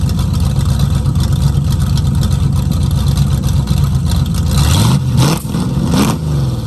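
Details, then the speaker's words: 1969 Mustang V8 that sat 15 years, not yet fully hot, after reconnecting a distributor vacuum line. Loud through rusted, holed mufflers; uneven loping idle with rough blips. Running better but still rough and rich. "yeah well it's running better I've been pretty good it just needs to get hot break everything loose running pretty rich"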